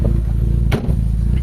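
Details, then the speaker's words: Toyota GLI with 4AFE engine: misfiring, uneven lumpy idle with irregular thuds and a clunk, engine shaking; low power, jerks when shifting into gear, hard starting, high idle, stalls; to clean throttle body/ISC valve and check distributor. "So ayan kung mapakinggan niyo yung ano palyado parang umuuga-uga yung makina mga bossing."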